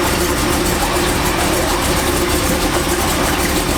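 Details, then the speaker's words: Chevy truck V8 idling after repair work: steady, even idle with smooth low rumble and faint belt hum, no squeal or knock; belt aligned, power steering working, no leaks seen; normal idle. "that thing sound good, y'all. Sounds good."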